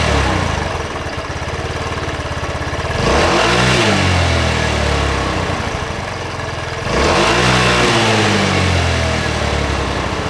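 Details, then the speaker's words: Racer Salut MT50QT-19b1 scooter with 139QMB engine idling low and unevenly, revs surging up and sagging back; the engine was out of oil and smoking, and would not hold a low idle. "а вот слышите Да както плавают обороты как-то вообще странно работает"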